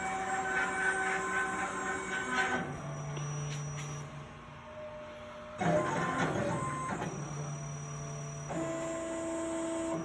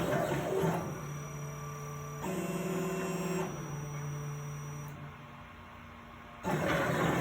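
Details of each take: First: Plasma table with replacement OpenBuilds BlackBox controller, running a cut job: smooth stepper drive tones shifting pitch as each axis moves, no stutter or skipping; this stretch runs cleanly before jitter recurs. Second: Plasma table with replacement OpenBuilds BlackBox controller, running a job: stepper tones shift abruptly and stutter as the gantry moves; jitter at the same spot each time, unchanged by voltage settings, lead screws glide freely, cause unknown.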